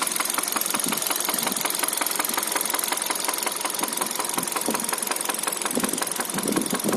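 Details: 2013 Hyundai Solaris at 140,000 km, after engine oil starvation: steady quick metallic tapping at idle over a thin engine hum; a valve suspected, source unconfirmed.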